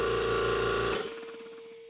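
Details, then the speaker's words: Air compressor on a smart switch with added electric unloader valve (55 drill-size orifice, manual outlet valve): switching off gives a short clunk then sharp hiss tapering as the line between check valve and motor bleeds down. Normal unloader venting at shutoff. "using the Smart Switch the airline depressurizes because the electric unloader valve opens up"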